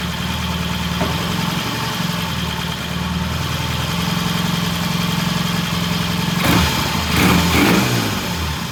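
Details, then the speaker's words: 1968 Triumph T100 twin with a new battery, after cleaning the pilot jet (set to 1 1/2 turns) and raising the idle slightly: steady, even smooth low idle beat with no misses or knocks. "Okay, we got a really nice idle, really good rev. Sounds good."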